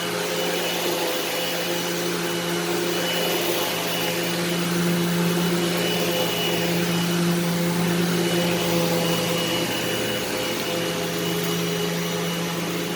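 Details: Eureka SmartVac 4870 upright vacuum rebuilt from two broken machines, running upright on high-carpet setting: steady, even motor roar, constant hum, no rattles or surging; normal running, though the belt later seems to slip slightly.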